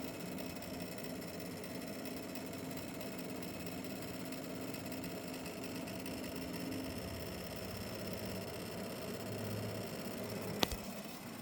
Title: RTX 5070 ti rattling noise